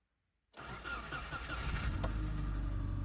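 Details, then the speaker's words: Subaru Impreza project car, started cold: a quick crank and it catches at once, settling to a steady, even low idle. Slight piston slap from being cold; no valve rattle heard. A healthy start. "See, it's gonna start. Hey, it's fine. I told you it's gonna be fine."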